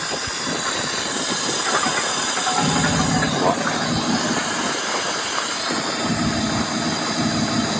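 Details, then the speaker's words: BMW F11 535d M Sport Touring diesel, off the road for 3 years, first start: constant airy hiss over the clatter plus loud intake noise, rhythm unchanged. Source unknown; owner fears the turbos may have failed. Hissing at idle. "That intake noise is quite loud. Sounds almost like the air filter's not on properly or something. That's very strange. Yeah, something's not right there. What is that noise? Why is it hissing?"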